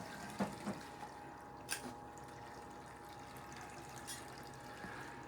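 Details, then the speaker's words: Fisher & Paykel Smart Drive washer, drain stage of the first of two rinses: quiet water gurgle, faint steady pump hum, a few light drips and no squeal; normal drain. "so now the machine is at the drain stage for the first rinse uh so we have two rinses and then a spin"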